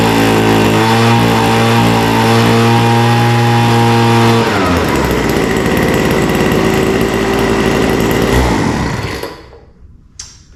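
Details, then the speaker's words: Vintage WeedEater leaf blower, Walbro diaphragm carburetor with only an idle mixture needle, no high-speed adjustment: steady scream then burbly and uneven when opened up before dying away; running rich at full throttle. "So it sounds like it's running rich on the top end, but again, we don't have a way to adjust that."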